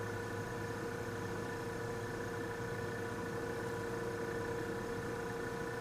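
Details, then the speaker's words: Vintage Westinghouse fridge compressor started in a cold room: a steady, even mid-pitched hum with no knocks, drawing 2.4 amps against a 3.2-amp nameplate rating; frost forms on a line, so it is cooling. "2.4 amps and she's running doesn't even sound all that bad it's a 3.2 amps according to the nameplate"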